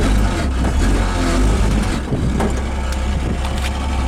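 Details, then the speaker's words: 1971 AMC Gremlin with a deep engine rumble and a loose, uneven tinny rattle over it from a thin little pan on the transmission cover buzzing. "on the car and that's a little pan on the transmission cover that makes that noise that first time I've bent it"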